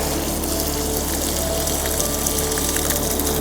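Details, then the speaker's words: BougeRV portable outdoor 2-in-1 shower water heater test in wind. Opening the water triggers ignition; steady whoosh of flowing water over an even pump hum, burner lit and running smoothly. Water warms to about 77–81°F, so it works normally. "And as soon as I open the water, you can hear the ignition going, and"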